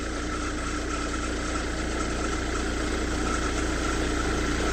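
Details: Hyundai Verna 2010 1.5 CRDi U1 diesel after Liqui Moly Diesel Purge treatment: idle clatter is even and softer at a steady beat, no harsh knocking; noticeably less harsh than before the treatment.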